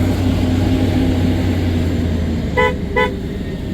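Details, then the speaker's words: 1999 Dodge Durango SLT, sitting since 2009, battery just reconnected: two short, loud, clear horn toots about half a second apart over a low steady hum; horn works properly. "oh the horn just knocked all the snow down"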